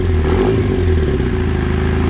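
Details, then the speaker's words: ZX9R motorcycle that had sat 10+ years, first start on 2-cycle gas fed directly, battery charger attached, fuel shut off and running the float bowls dry: loud, lumpy, uneven note with clatter and a vibration felt in the handlebar; rough running, cause unknown. "Feel it really good up here in the handlebar control. It just doesn't sound right."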